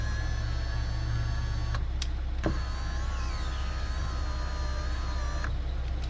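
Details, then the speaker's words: VW Eos power window with a broken, binding window regulator: a steady motor whine with a low, strained hum that sags in pitch near the end; the overworked motor runs extremely hot and is failing. "when they start to bind up, the actual motor will start to work harder to move the window up and down until they actually break off like that."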